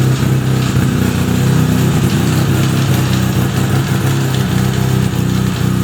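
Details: Fully restored 1975 Suzuki RE5 rotary motorcycle, engine just started: smooth rotary idle with a steady low drone and a faint gear-like hum on top; abnormal noise from the transmission, cause unclear, engine to be removed to inspect gearbox internals.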